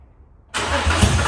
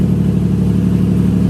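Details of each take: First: Nissan 350Z drift car with a newly installed replacement engine, fuel pump fuse pulled: starter cranks and the engine catches a few uneven beats on residual fuel in the system before priming. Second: Nissan 350Z drift car with a newly installed replacement engine, starting up after refitting the fuel pump fuse: loud, steady deep idle with an even beat and no knocks or ticks; running healthy.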